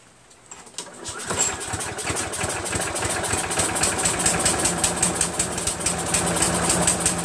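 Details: Craftsman vac chipper with 6.75 Briggs engine after a thorough carburetor clean and new fuel seat, auto choke connected: catches after a second of cranking and settles into a quick, steady, even beat about three per second; runs like new.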